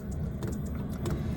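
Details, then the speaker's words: Chinese diesel heater installed on a MacGregor 26X sailboat, heating the cabin: steady low fan rumble with light, even ticking from the metering pump, nothing uneven; normal running. "you can hear it clicking and it's warming up the cabin quite nicely"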